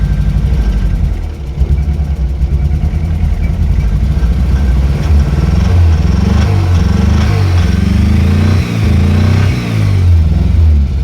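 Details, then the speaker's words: Project VW Golf Mk1, freshly started after repairs, idling a bit high and blipped, smoking slightly, fuel possibly low: uneven stumbling pulses in exhaust note; engine misfire. "But it's got a misfire, but that I can deal with. That's nothing serious. What's important is that the engine doesn't sound bad, but it starts."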